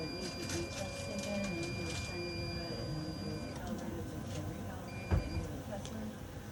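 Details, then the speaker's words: Orthophos S11 dental X-ray unit running a constancy test: a steady high warning tone sounds while the exposure button is held, then three beeps as the test completes before acquisition and reconstruction; normal exposure cycle. "you hear the three beeps the constancy test is complete and we'll wait for it to acquire and reconstruct"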